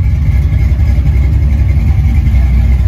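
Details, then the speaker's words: Ford 5.0 302 V8 after the fix: a roller rocker had come off because of improper installation and a loose Allen key lock, causing a knock that was mistaken for a blown motor. It now idles with a deep even rumble, quiet, with no lifter ticking or knocking. "back to its normal old self. It's quiet, no lifter noise."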